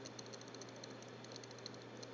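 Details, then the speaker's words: Dell Studio 14z laptop under a year old, with many Firefox tabs open and high CPU usage: faint quick ticks and light scratching over a low steady hum. Owner guesses hard-drive clicking, with intermittent beeping; source unclear. "yeah so we're ticking and scratching um I'm just open a bunch of tabs in Firefox so I'm not really sure if that's the culprit or what"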